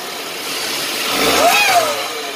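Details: Car never given an oil change, stopped and accelerating, code P0014: high-pitched whine rising and falling with revs over engine note, heard even at standstill; worn turbocharger bearings suspected.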